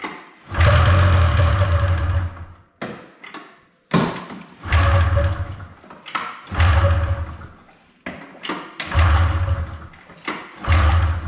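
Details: 1997 Polaris Indy 500 snowmobile, long sitting, fresh fuel, first start attempts: short two-stroke running bursts of a second or two, each dying, repeated; catches but won't hold yet, later idles too fast.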